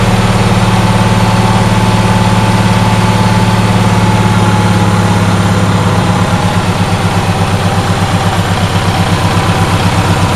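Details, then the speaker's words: Onan twin-cylinder engine after a loose spark plug on the fuel-pump-side cylinder (losing compression) was tightened: chugs along at a steady, even beat with both cylinders firing, settling slightly lower partway through, running normally. "so yeah it's it's running again it's now on the running side of the what runs report"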